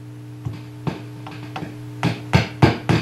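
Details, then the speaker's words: Marshall model 5210 circuit-board guitar amp (complaint: low volume, noise, squeals): steady low mains hum with irregular crackles and pops, likely cold solder joints mostly in the power supply area; fixed by resoldering. "a lot of Crunchies mostly in the power supply area so more than likely with all these circus forward amps we've got probably a million cold solder joints"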